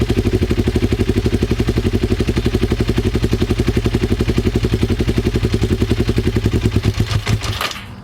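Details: Twin-cylinder Ninja motorcycle, recently revived, during a carb sync attempt: lumpy, uneven beat of about four pulses a second, then sputters and dies, carbs likely out of sync; fuel leaks from the headers and carb vents; rough uneven running.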